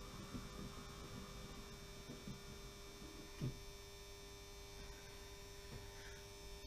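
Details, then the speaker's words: 16-year-old model railway controller powering a funicular railway: steady low electrical hum with fixed, unchanging pitch from the old controller; owner plans to replace it. "the humming noise you can hear is this old controller which I've lashed up which is really annoying I have to say"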